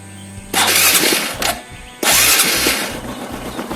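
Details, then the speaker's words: Honda Supra X 125 motorcycle after replacing the battery at home: two sharp starter whirs, the second catching into a light, even small-engine idle; electric start works normally, turn signals also fine. "Oke, kedengaran ya teman-teman ya. Sip. Aman sudah. Starter bisa, lampu sen bisa, klakson ya udah pasti bisa sih teman-teman."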